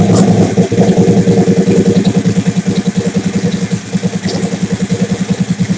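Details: Big-turbo Suzuki TL1000R V-twin with 560cc injectors and Power Commander, during idle tuning: lumpy idle pulsing about three times a second with uneven beats and throttle blips; owner says it is running leaner, lean idle.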